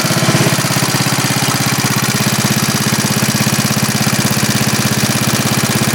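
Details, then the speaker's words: 1939 Onan generator, running after repair under a 300-watt light load, reading 114.9–115 V. Even, rapid thumping holds a perfectly steady beat with no flutter or misses; healthy. "That's not even fluttering or nothing, man. That's steady getting it."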